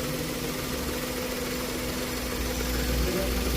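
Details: Three-cylinder car engine after repair of a misfire where one cylinder was completely dead: steady, even idle with a firm low rumble and no stumble; all three cylinders firing cleanly.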